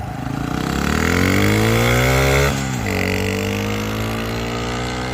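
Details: Honda Trail 125 (CT125) after blown piston, rebuilt with a 164cc big bore piston and cylinder and a bigger fuel injector, first idle to warm up before break-in: quick blip, then smooth, even single-cylinder idle with no knocks; normal.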